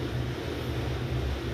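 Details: Besat fully automatic washing machine, empty with no load, after the spin-mode noise repair: a low, steady drum hum that runs continuously without stopping or restarting, with slight vibration remaining. Normal continuous spin.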